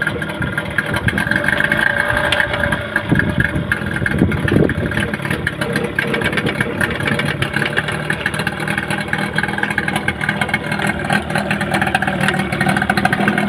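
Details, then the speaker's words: Yamaha 15 hp outboard that the owner reports sounds rough. When put into forward gear, a faint, fast tick-tick-tick rides over the steady drone. "itu dia mesinnya ada bunyi tik tik tik ketika kita masukkan gigi maju dia kentara sekali bunyi tik-tik"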